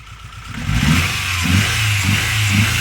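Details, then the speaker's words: Mitsubishi Galant E32A 4G37 engine running rough: after a throttle blip, unplugging the third injector connector leaves a lumpy idle with a heavy thump about every second; cylinder drop test, misfire. "завелась работает криво даём [музыка] [аплодисменты] перегазовка снимаем фишку с третьего [музыка] инжектора"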